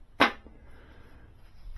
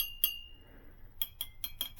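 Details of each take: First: Model T engine rebuild, tap ring test on the reverse drum: a single tap dies away almost at once with no ringing tone, a dull thump that suggests a cracked drum; the reverse drum is judged no good. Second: Model T engine rebuild, tap ring test on the clutch drum: crisp metal taps, the first ringing clearly for most of a second, with no dead cracked thump; the drum is sound and the clutch is judged okay.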